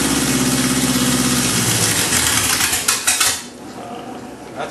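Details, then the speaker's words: Oldsmobile Rocket engine on a stand, just fed gasoline and throttle: catches and runs unevenly for a couple of seconds, then sags and dies; hard to keep it running, cause not evident. "it George it's hard to keep it going but it runs"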